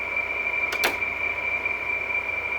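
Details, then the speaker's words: 2003 Frigidaire Electrolux air conditioner running after sitting unused three to four years, still cooling somewhat: steady high-pitched squeal over running hum from worn fan motor bearings. "but if you hear that noise because since the uh obviously the fan motors bearings are shot"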